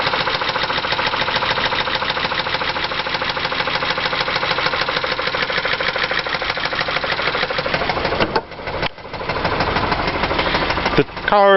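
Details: 2001 Chrysler Concorde, Mopar 2.7 petrol V6 with 108,000 miles, idling with a fast, steady metallic knock throughout; suspected knock from oil sludge due to known design flaws, engine to be replaced with a 3.3.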